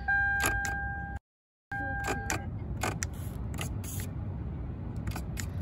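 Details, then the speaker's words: Lexus LS400 power tilt steering column: motor whines steadily with irregular clicks and rattles as the misaligned tilt gear slides out of mesh; fix is a spacer behind the gear. "when you go up it's pulling the gear out so it's activating and when you go down it's pushing it and it's sliding in and it's being an issue"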